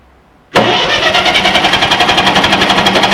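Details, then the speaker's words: Ferguson TE-20 grey tractor, fresh petrol, filter bowl emptied, second battery hooked up: starter cranks evenly about four turns a second, never catching; ignition drops out whenever starter lever is pressed, an earth fault. "So, I've hooked up another battery and uh what's happening is whenever the uh starter lever is pressed forward, the ignition switch is going out. So, there is there's an earth problem again."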